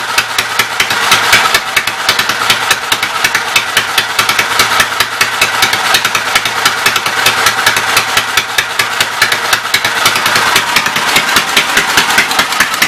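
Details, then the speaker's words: Westchester engine, just revived after the starter-generator was refitted, still needing about 3/4 choke: uneven, clattery beat with loose rattling. It runs rough and smoking, and the owner says this shows remaining issues, cause unconfirmed. "The fact it's still running with about 3/4 choke tells me I still got some issues. Not surprised it's smoking."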